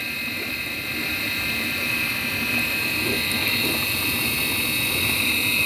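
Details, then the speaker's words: Midea dishwasher wash motor running with a steady high whining hiss from a worn motor bearing. The motor had stuck after running without water, and grease has been applied. If the customer does not agree to take it back as is, the bearing will be replaced. "the bearing noise already we have to discuss with the customer"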